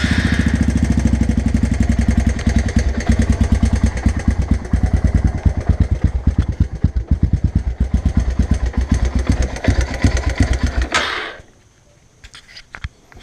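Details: Honda 300 Fourtrax with used 317 big bore kit, first run after reinstallation: rough uneven single-cylinder idle with a light tick each firing, cylinder and piston completely worn out; owner also suspects a valve needs adjusting.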